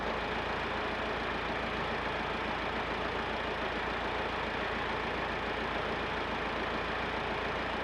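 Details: Massey Ferguson 50HX backhoe loader, 4-cylinder Perkins diesel, hydraulic pump reconnected to the engine: even drone holding steady under the working pump, no knocking, hunting or hydraulic screech; runs normally despite leaking arm cylinders.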